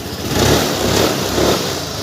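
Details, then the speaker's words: Suzuki Access 125 scooter, after replacing weak battery that caused ticking on electric start: fires straight up and idles steadily with no ticking, running fine. "ये देखिए perfect start हो रही है गाड़ी"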